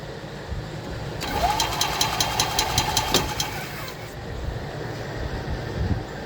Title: 2021 ez go express L4 efi diagnosis, turn over no start